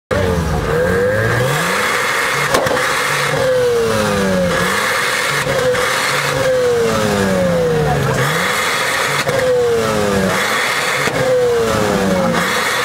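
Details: 1991 Mazda RX-7, naturally aspirated 13B rotary, stock manifold, cats deleted and straight-piped to the mufflers, rev limiter 8500 rpm: repeated hard revs give a loud, raspy, crackling exhaust note; owner suspects bad mufflers, replacing them soon.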